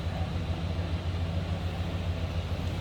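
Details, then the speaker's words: 1994 Chevrolet K2500 Silverado 4x4 extended cab, 5.7-liter V8, heard from the back at idle: a deep, even burble pulsing about three times a second, smooth with no misses, a normal healthy idle. "let's hear how it runs sounds like you'd expect stack 5.7 liter"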